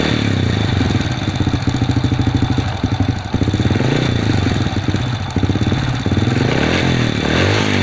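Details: Honda Supra underbone motorbike that would not start, now running after cleaning and adjustment: small single pops at a fast, even beat with occasional throttle blips; it runs cleanly and settles.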